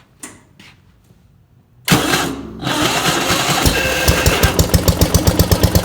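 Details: 1971 Gravely 430 with Onan NB twin, after a Chrysler ignition module fixed weak spark. Quiet handling, then the engine catches and settles into an even putting beat near three per second; healthy running.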